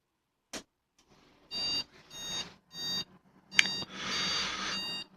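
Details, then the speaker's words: Desktop PC at power-on gives five buzzy uneven POST beeps, indicating a RAM or graphics card error; Samsung RAM, likely poor contact, usually fixed by reseating RAM and graphics card or moving RAM to another slot. "RAM 오류 이거나 그래픽 카드 오류일 가능성 이 높습니다 . 다섯 번 의 신호음 이 울리면 그 사실 을 나타냅니다 ."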